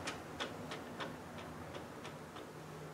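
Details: Land Rover LT230 transfer case on the bench: light metallic clicks, about three a second, as the output flange is rocked while the other side stays still; small centre-differential backlash judged acceptable.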